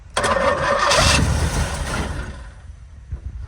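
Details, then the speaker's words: Barn-find Pontiac GTO after decades sitting, new HEI distributor fitted, second carburetor tried: starter churns for a couple of seconds with uneven puffs but never catches; crank no start, suspected no fuel getting through the carb. "Man, that dude is not letting gas in. It ain't got no gas. No. There's no gas coming in."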